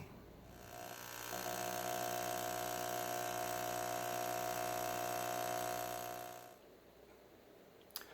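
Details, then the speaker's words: Cheap Deep Blue aquarium air pump running: a loud steady electric buzz with strong mid-pitched hum from vibration, on for about five seconds then off. "who wants to listen to that all day buzzing away inside their cabinet or God forbid out on a a little ledge next to the tank or on top of the tank it uh can get downright annoying"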